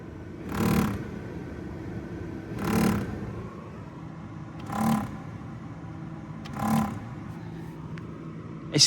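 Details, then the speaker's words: Nissan Note automatic replacement blower motor, fine on speeds one and two; on speed three a steady fan whir breaks into a loud scraping whoosh about every two seconds, fins breaking apart, likely catching the housing. "As soon as you get that breaking the fins, so it's pulling it apart."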